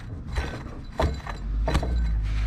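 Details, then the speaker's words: 1989 Dodge Ram D250 12-valve Cummins, not run in 15 years: rough scraping grinds in bursts as the AC compressor is turned by hand; bearings shot, so compressor to be bypassed with a non-AC belt. "hear that that's just that's grinding the bearings are shot everything's shot on that so we're just gonna bypass the ac compressor for now"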